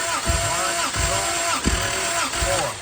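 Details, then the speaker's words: Toyota 2JZ new build after oil pump failure and replacement, compression test cranking four revolutions: steady starter whir with even compression thump about every 0.7 s; 150 psi on all cylinders, including previously low number five. "150 on the duck. You got 150 all the way across."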